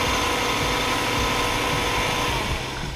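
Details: Hyundai Sonata (TagAZ) right after tightening the squealing alternator belt: the engine runs steadily at idle with a faint, even hum and no chirp or squeal from the belts; the belt drive sounds fine after the fix.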